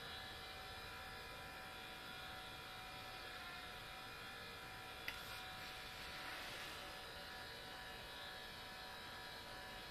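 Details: New Sony Vaio CS11S/W laptop under full load, about 60 dB, CPU hitting 100°C and throttling: steady high airy whir with layered buzzing tone; attributed to a mechanical fault of the cooling fan, replacement recommended.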